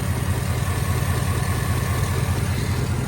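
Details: 2008 Chevy Avalanche 5.3 V8, first start after timing chain failure bent valves, heads repaired, some lifters damaged; steady idle with even low pulse about 2.5 beats a second, no ticking or knocking, no smoke, coolant low; normal idle.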